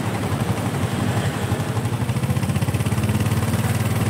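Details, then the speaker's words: Honda Supra motorcycle at idle, rough despite repeated timing chain and bearing replacements: rapid metallic clacking that smooths when the chain is pressed tight and returns when released; slack, unstable timing chain attributed to crankshaft play. "ini lancar, tapi suara rantai timingnya kencang, kan? Suaranya halus jika rantai timing ditekan kencang, kan?"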